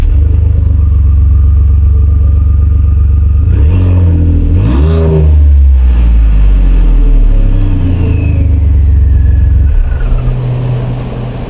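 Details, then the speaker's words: 2015 Ford F-150 Lariat 3.5 with exhaust unbolted at the cat, running open: deep rumble swelling with throttle blips and loud turbo whoosh, turbos much louder without an exhaust. "tell you what the turbos are a lot louder without an exhaust that's for sure"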